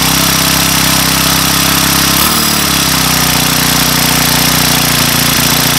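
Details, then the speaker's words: Weathered Craftsman Speed Start 29cc four-stroke trimmer with leaf blower attachment, after first cold start on cold day, makeshift filter cover: steady even idle buzz, no misses or rattles; runs very smooth, normal idle. "very smooth so all right four cycle speed start by craftsman with the convertible attachment being a leaf blower uh that works a lot better than i actually thought it would"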